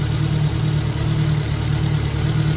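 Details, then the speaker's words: Ford Anglia engine idling at first start after fitting a Weber carburettor, new manifolds and exhaust, cooling system being burped (probably no thermostat): steady, even low idle with a smooth exhaust beat and no knocks, misses or whines; healthy. "all right we're running burping the system out uh we have exhaust everything it's all coming together"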